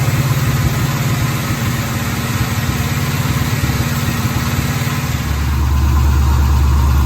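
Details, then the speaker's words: 1973 Pontiac Firebird V8, previously seized and full of water, revs held up by a screwdriver in the throttle: after a couple of minutes the deep idle evens out with no missing beats, now firing on all eight cylinders. "The car's been running a couple of minutes. I reckon that's 8 cylinders now."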